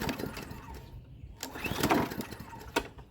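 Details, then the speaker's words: Free Hyper Tough 20-inch push mower, sputters in uneven bursts, catches briefly then dies, won't keep running after starting; owner suspects a gummed-up carburetor, not hearing it prime. "Probably gummed up carburetor. I don't hear the thing priming. Oh, it's still acting up."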